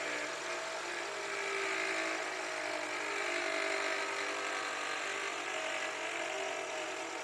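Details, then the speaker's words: Toyota with 3R engine at idle, microphone held close: dense, high, steady, very loud whine over the idle; described as a known problem with a part in the alternator on this engine, not confirmed. "o barulho tá bem alto a gente escuta bem nítido né"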